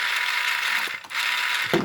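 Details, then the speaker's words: Magazine priming mod test, mag inserted, prime-only mode (not spinning, not firing): steady high whir for about a second, brief pause, then whirs again and stops cleanly; priming motor working normally. "but this one's not spinning and it's not firing. Mag prime only."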